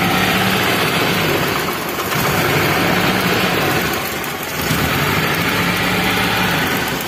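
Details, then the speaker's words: Daihatsu Zebra Espass, revved with one spark plug cap or wire disconnected: an uneven, choppy helicopter-like stutter, the engine won't rev freely and sputters, a misfire. "itu seperti suara helikopter ya teman-teman coba dengarkan suaranya Nah jadi suaranya itu dia enggak ngelos teman-teman kalau susah kita gas kayak ada brebet-brebet-brebet gitu"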